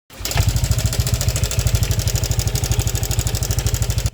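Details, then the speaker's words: Yamaha Aerox 155 version 2 with a racing cam and stiffer valve springs, idling with a busy metallic clatter over each firing pulse from the timing chain tensioner; a manual tensioner is to be fitted. "Maingay ang makina. So napaka-basic lang to mga kaibigan. Kung narinig niyo po kanina yung andar niya ay kadalasan po na problema niyan ay timing chain tensioner."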